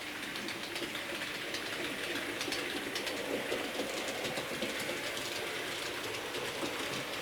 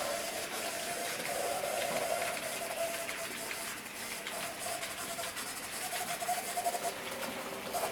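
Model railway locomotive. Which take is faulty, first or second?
second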